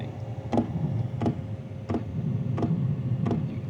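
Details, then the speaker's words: Sparks Overland gas heater after 30 days of use, at startup with the microphone right next to the fuel pump; sharp, evenly spaced ticks about every 0.7 seconds over a faint hum: normal fuel pump ticking. "So, there it is. Fill pump. That's the tick. Now, keep in mind that is with the microphone right next to the dang thing."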